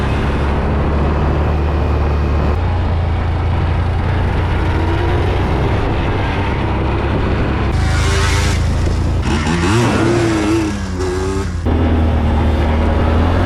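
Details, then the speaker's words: 2003 Yamaha Blaster two-stroke after full rebuild with new aftermarket parts, test ride: crisp revs rising and falling cleanly through gears, no bogging, rattles or seizing noises; normal running. "all right that's a wrap on that one she runs good she shifts nice she sounds nice and tight she runs good"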